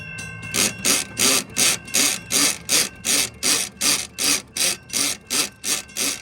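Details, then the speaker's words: Model 3590 crossing gate mechanism: the bottom screw lets the plate space the pawl too far from the toothed gear, so it slips. Loud, even rasping pumping strokes about 2.5 per second. Finding: crossing gate ratchet slipping. "And there is a component that grabs a tooth of that gear to keep the gate up. And if this is spaced out too far, it'll cause it to slide."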